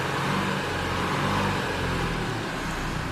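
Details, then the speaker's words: 2016 Renault Kadjar 1.5 dCi (K9K) diesel under throttle: low, flat drone, labouring without picking up revs. Dies on pulling away since a service; loss of power from intake airflow restricted by a wrongly fitted air filter. "Basically, when you drive this car, as soon as you go to pull away, it just absolutely dies on you."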